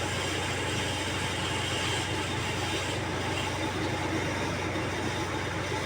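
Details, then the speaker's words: Godrej 7 kg semi-automatic washing machine, spin motor repaired after stopping mid-run, running empty: loud steady roar with a constant low hum appearing only at full spin speed. "और आपको दिखाता हूं यह बहुत ही तेज आवाज कर रहा है जोक बहुत तेज आवाज हो रही है इसमें यह जो फुल स्पीड में आता है तभी यह आवाज आता है"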